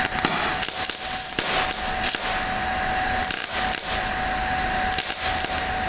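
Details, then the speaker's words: MIG welding with argon/CO2 mix on a rusty old exhaust, bridging by pulling the puddle from the cleaner double-thickness side to the thinner side: steady hissing crackle with a series of light soft pops, no harsh spatter. Normal soft MIG weld. "now what i'm doing there is i'm pulling the bubble from this head this cleaner heavier side where it's double thickness i'm pulling the bubble down to this lighter side and it's just a series of those light pops"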